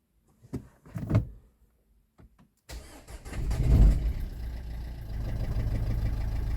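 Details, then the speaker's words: Renault Scenic III 1.5 dCi with a check-fuel-injection dash message. After cranking it catches to a lumpy idle missing a beat each cycle. The scan showed an injector 1 signal fault: a misfire with one cylinder dead. "After we started the engine, we heard that one of the cylinders doesn’t work."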